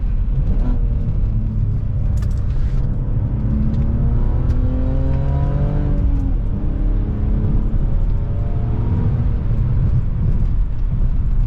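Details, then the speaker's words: Clean, deep exhaust note rising and falling with revs under load on an E46 after welding the gap between too-short eBay headers and the mid pipe, fixing a six-month header exhaust leak; no ticking or puffing, still a good bark. "This is exactly what I was hoping these headers would sound when they're clean. Oh, they still have a good bark."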